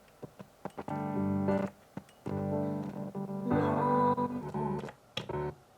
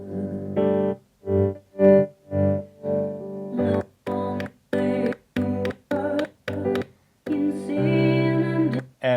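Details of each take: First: Mackie Big Knob Studio monitor controller playing piano music keeps cutting out abruptly to near silence and returning. The source switch is pressed in but gives no sound. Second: Mackie Big Knob Studio monitor controller after repair of its monitor A/B source switch: keyboard music cuts in and out cleanly as the button is worked, with no crackle or pops.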